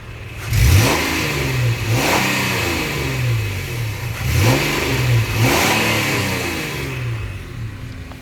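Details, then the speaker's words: 2013 Nissan Xterra 4WD, 3.5 V6, one owner, 122k miles. Three quick revs climb crisply and fall back smoothly to a steady idle with no misses or knocks; the engine is very healthy and responsive. "engine is very healthy especially for these 3.5 Nissans it's got a lot of response sounds good revs up good"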